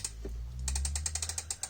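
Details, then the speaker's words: Bicycle freehub coasting when pedal pressure eases: crisp, even ratcheting clicks at about ten per second, normal pawl freewheeling. "you hear the clicking when i'm not pushing down on the pedals"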